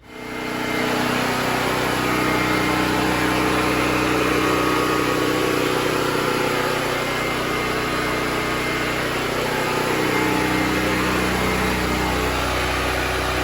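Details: New Predator 6500 W portable generator powering a house panel through a twist-lock cord: even, unchanging engine drone with a steady beat, no misses or knocks; normal running under load.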